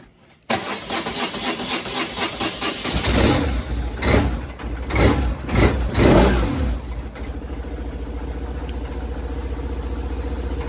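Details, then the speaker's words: 2000 BMW R1100RT twin at first start after repair, carbs not yet adjusted; cranks, catches, uneven throttle blips then lumpy idle, owner attributes to choke being on, cause not confirmed. "it should be choked that's why it's running so weird"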